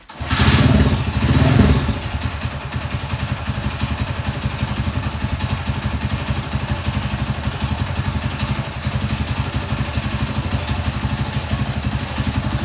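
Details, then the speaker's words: Honda CB100 (mixed-parts build) just reassembled after ignition setting work: brief start-up rev then slow, uneven idle about four beats a second; idle set too low, carburettor may need re-tuning; low unstable idle. "Oke ini karena stasionernya Kurang tinggi ya oleh seperti itu suaranya mesinnya nih Sudah sedikit stabil ini mungkin tinggal setingan karbu nya mungkin perlu disetting ulang lagi"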